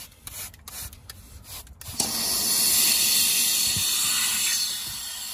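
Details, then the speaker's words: Truck air system switched on: steady high hiss for several seconds, easing slightly; compressed air leaking from an elbow fitting, owner plans to replace the ring and O-rings. "jeszcze jedno kolanko spierdala powietrze pack a to już nie nie tylko tutaj jedyny wyciek jaki jeszcze chyba słysze"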